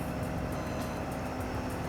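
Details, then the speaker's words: RAM chassis cab with the parking brake set, high idle engaged through the cruise control buttons, raised from about 700 to around 1100 RPM: a steady, even diesel drone with no knocks or misses, a healthy engine at high idle. "control buttons, and the idle is going to elevate from about 700 RPM to around 1100 RPM we're at right now."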